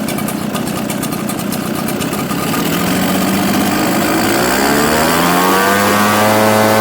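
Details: Echo 770 two-stroke that died after 10 minutes in 100-degree heat, fitted with a new carburetor, air gap reset to .015, premium fuel with synthetic oil: steady idle smoothing and rising in pitch as the mixture screw is set, running cleanly.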